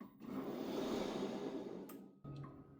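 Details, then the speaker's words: Electric ride-on mower: with the motor driver on, the deck's BLDC motor (Lin Engineering BL23E33, 5000 rpm, 120 W) gives a smooth rushing whir that rises, holds steady about two seconds, then cuts off cleanly; normal deck spin-up. "That's the motor driver on. Spin up the deck."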